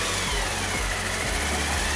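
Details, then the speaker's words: Kawasaki ZR-7S (Zephyr 750 engine) idling after repair: steady and even with no tapping. The earlier rattle came from an alternator mounting bolt with a missing head; the bolt was replaced and the cover refitted with a new gasket. "カバーを取り付けます無事エンジンからの音は消えました"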